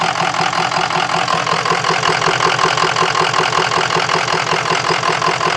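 Idle carries a fast, fairly regular clattering pulse, several beats a second, uneven and harsh; rough diesel idle, likely injector-related.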